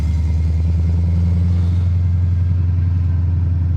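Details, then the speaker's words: 1979 AMC Spirit AMX, AMC 304 V8 converted from carburetor to ACES throttle-body EFI with Command Center surge tank; after a tuning setting fix, steady deep idle holds without stumbling or stalling when clutch pressed rolling to a stop; previously stalled. "so if I throw a clutch in normally it would have died right there I think we did it boys I think we found my mystery problem it's not dying"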